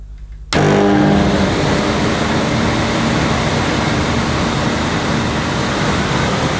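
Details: 1998 Hoover Alpina Filtra vacuum cleaner with electronic speed control and carbon filter, switched on for the first time after unboxing: an instant loud, steady rush of air and motor with no rattles or grinding, despite "power of silence" advertising. It runs normally.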